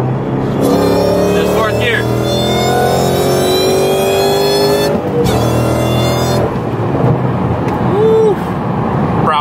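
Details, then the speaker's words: 2016 Mustang GT with Whipple supercharger and Foster Stage 2 whine mod; V8 pull through gears, whine screaming from about 3,500 to 5,000 rpm, rising with revs over exhaust roar; normal supercharger whine. "it seems like from I want to say like 3 and 1/2 to 4 and 1/2 5 it it's you can hear it it's it's screaming"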